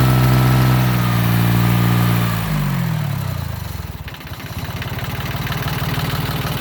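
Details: Yanmar YM1610 diesel tractor (1979-1981, 942 hours), after about 10 years sitting: engine eases down from higher speed to a slow, even chug of about four beats a second with no knocks; healthy running.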